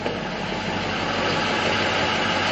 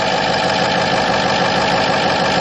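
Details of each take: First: 2006 Ford F-550 4x4, 6.0 L diesel, five-speed, idling with listener walking around the exhaust: steady hissing rush over an even idle, no knocking; owner suspects a plugged catalytic converter, unconfirmed. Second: 2006 Ford F-550 4x4, 6.0 L diesel with bulletproofing work, cold, heard at the front: steady, loud but smooth diesel idle clatter with slight turbo boost sound, no misses or knocks; normal diesel idle.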